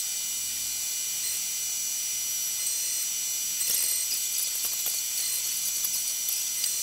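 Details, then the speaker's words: Tormach 1100MX CNC mill contouring a thin 6061 aluminum Brembo brake caliper bracket for a 97 Silverado: an even high-pitched cutter hiss with no chatter. The lighter depth of cut runs smoothly. "all right it's cutting nicely in there it seems to like this depth of cut better than that extra couple hundred thou on the thicker bracket"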